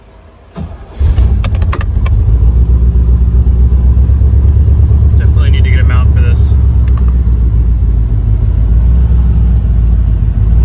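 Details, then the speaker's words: 1966 Chevrolet Corvette converted from carburetor to Holley Sniper EFI with new fuel pump, first start after wiring and first tuning: fires quickly, settles into a low steady even lope, no stumbling; earlier ran rough, now running much better, normal warm idle. "all right running incredibly better so far I can't obviously take it on the road yet"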